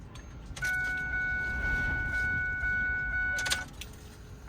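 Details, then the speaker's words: 2006 Ford F350 6.0 Power Stroke diesel, key on after replacing both fuel filters: a steady whirring hum runs about three seconds, stops, then restarts on the next key cycle; the fuel pump is priming normally. "so all we're going to do is place a key in the ignition turn it to the on position you'll actually hear your fuel pump go we're going to let it run for a second and we're going to cycle it like this about four to five times"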